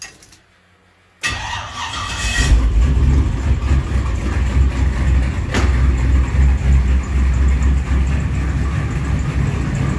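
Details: 441 engine on MS3 Pro standalone ECU: cranks, catches quickly and settles into a steady, even idle with no misses; normal when idling, though warm it breaks up and won't get over 2,700 rpm despite new plugs, wires and coil packs.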